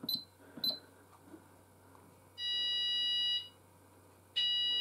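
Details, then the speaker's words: Apollo XPander fire system test, landing sounder switched to sound group 2: short chirps, then a steady high electronic tone about a second long, a pause and the tone again; the alert tone works normally. "as you can hear this sound does not do any alert tone because on a separate group"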